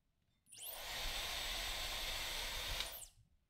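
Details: Dyson Supersonic HD01 hair dryer that had only flashed three white lights and would not run, tested during partial disassembly: motor spins up with a rising whine, holds a steady airy rush about two seconds, then winds down. Runs normally.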